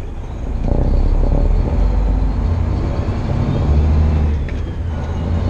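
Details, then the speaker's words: Heavily loaded truck pulling a hill on a 56-degree day: heavy diesel lugging deep and steady, no rise in turbo whistle; turbo slow to pick up boost, turbo failure suspected, not confirmed. "Where we go slow. The turbo don't want to pick up. Turbo's like, screw you."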